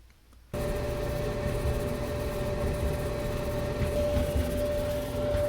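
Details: Maytag Bravos XL dryer (model MEDB855DC4) after idler pulley and bracket replacement to fix screeching: starts up and runs normally with a steady low rumble and faint even hum, no screech.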